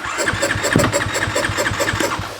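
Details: Dirt bike single, back together after work, cold start knob pulled: quick even firing pulses as it catches on choke and settles into a fast, steady beat; healthy start.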